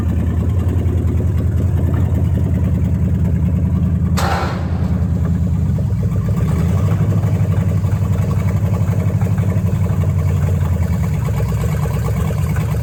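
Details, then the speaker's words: Dodge Challenger V8 revived after 35 years abandoned, after replacing fouled spark plugs and fixing a vacuum hose when it had been running rich: deep, even idle with steady low beat and a quick throttle blip; runs smooth and healthy. "you get to the point where the car wouldn't even start because the plugs were so fouled out and the thing was running so rich that i replaced those spark plugs fixed that vacuum hose and immediately changed the whole car"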